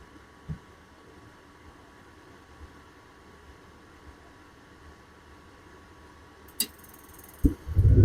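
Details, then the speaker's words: Dometic RV furnace after replacing its squeaking blower motor/fan: soft, steady blower hum with no squeal, and hot air is coming out. Normal running after the repair. "There we go. It's working. Yep. We got hot air coming out. I hear no squeaking."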